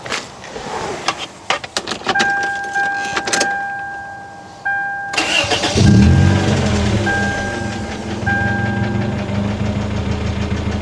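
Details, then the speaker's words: Lifted Toyota Corolla DX with a 1.8 engine and muffler delete at idle: a light, uneven top-end tapping present since purchase. It is not rod knock; rod bearings were inspected and looked great; cause unknown. "yeah just a odd tapping noise doesn't quite sound like rod knock but I didn't really know what else to look for cuz it's a odd noise but yeah it has made that noise since I've bought it and it is not Rod knot"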